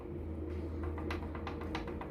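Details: Sharp, uneven metallic clicks as the brake caliper is rocked by hand, a knocking caliper from play in its guide pins; fixed by repairing the guide pins and their rubber bushings.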